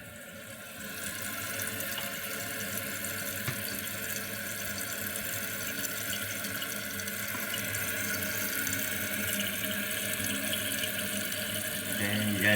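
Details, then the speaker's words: Kohler canister-style flush valve toilet after seal replacement: steady hiss of water refilling the tank, no trickling into the bowl; new seal holding, refill stops when full, normal. "So once it refills again, it'll stop."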